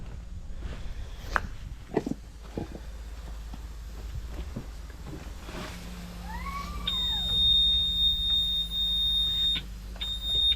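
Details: Ford Sierra RS Cosworth recovered after years stored in bushes, at first start: shrill steady high tone after a quick warbling sweep, stopping briefly and restarting; car alarm sounding.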